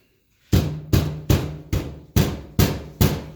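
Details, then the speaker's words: 1971 Cadillac Coupe DeVille 472, hunting a rear rattle: the removed steel fuel tank, made in 1971, gives hollow booming thumps about every 0.4 s when struck, with a loose rattle after each; internal steel structure possibly come loose. "I don't know why that's rattling like that I don't know if the steel construction inside the tank is let loose or what that's just really bizarre"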